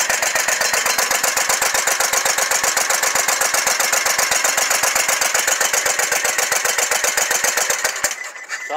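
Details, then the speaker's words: Scag Tiger Cat II zero-turn mower, Kawasaki FX691V V-twin with sticking choke: harsh loud popping exhaust with rough lumpy beat, running on only one cylinder and blowing black smoke; cause not yet confirmed. "I finally got it to start and right now we're just going to Crank It Up running on this one cylinder and I'll show you what it's doing"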